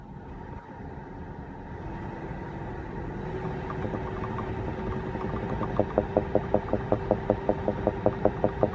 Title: 2016 BMW X5 F15 bubbling/popping noise Part 2